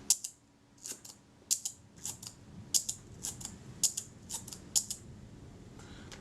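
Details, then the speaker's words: Retina IIC leaf shutter fired at 1/8 second after cleaning and graphite lubrication of the speed trains: light, soft, muted clicks, an unnaturally quiet shutter release. "this should be an eighth of a second that's in the sound 100 miles away that shutter sounds unnaturally quiet to me"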